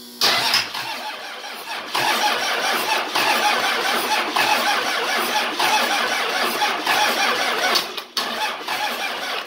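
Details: 24V Cummins standalone-wired for a Dodge delete swap, after confirming fuel toward the VP44 and cracking number one injector: long rhythmic cranking with uneven pulses and dropouts before catching; hard starting, needed some ether to run.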